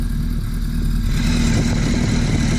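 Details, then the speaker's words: Hayabusa engine idling as the crank balance shaft is turned too far: a rattle starts, then a thin gear whine; over-adjustment of the balance shaft, later set centred between the whine points and tightened. "So you're going to hear the engine whine when I turn this balance shaft too far. Don't worry, you're not going to hurt anything. You hear it start to rattle. Now you hear the whine."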